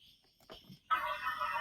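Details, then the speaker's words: Toy electric car, repaired, switch contact fault checked with charging wire connected then unplugged: after a quiet spell a steady mid-pitched drive motor whine starts and holds; motor now working normally. "Sound കേട്ടോ, ഇപ്പോൾ വണ്ടി work ചെയ്യുന്നുണ്ട്."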